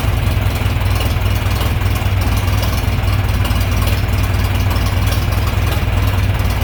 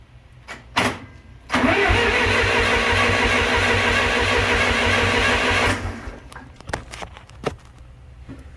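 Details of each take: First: John Deere 3020 LP, repaired LP system, new head, reassembled, warm start: smooth, even low rumble, steady beat, no knocks or misses; clean normal idle. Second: John Deere 3020 LP tractor with new head: even starter cranking about a turn and a half per second, never catching; a stuck LP regulator valve keeps fuel from getting through.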